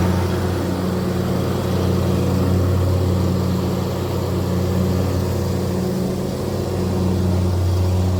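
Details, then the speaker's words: John Deere commercially used zero-turn mower after the blades were removed and refitted, fixing an intermittent noise when blades engaged: steady low drone, blades spinning evenly with no scraping or clatter; normal blade operation after repair. "that was our entire freaking issue and you may have this issue someday too"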